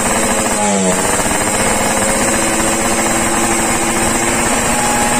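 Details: Yamaha RX King two-stroke, warmed up after daily carburetor tuning, exhaust test: a loud crisp buzz that holds steady and even with no misfire or stumble. This is clean, normal running.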